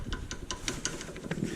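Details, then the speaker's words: Worn sway bar link on a Mercedes C300 4Matic, rocked by hand: light quick clicks, about five or six a second, from play in the joint; the cheapest aftermarket replacement link, suspected source of the owner's clunk. "but it's definitely bad so this could be even though I've replaced this but I did replace it with the cheapest aftermarket one you could buy so this could be the source of my clunk"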